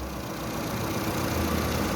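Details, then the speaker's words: Fiat Toro 1.8 E.torQ with idle fault and injection light on: uneven lumpy idle with light rattling chatter over the rumble; timing chain noise found with incorrectly mounted pulley. "e luz da injeção acesa, barulho na corrente. Aí fomos fazer uma verificação aqui no carro e verificamos que, olha lá, o clássico dela, montagem de polia errada, tá vendo aqui?"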